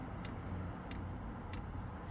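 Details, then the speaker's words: Hcalory 2 kW diesel heater newly installed in a 2016 Town and Country minivan, priming a fuel line: sharp single ticks about every 0.6 seconds over a low fan hum; each click pushes fuel, normal priming. "okay so the ticking has started and I'll show you what's going on over here so every time there's a click it's pushing Fuel and it's starting to go a little bit"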